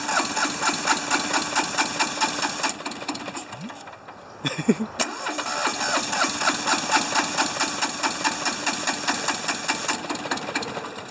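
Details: Hinomoto diesel tractor, once stuck, cold at about 40s °F: uneven chugging at about two beats a second, one cylinder hitting harder, with a brief stumble midway. Owner suspects injectors, low compression or glow plugs.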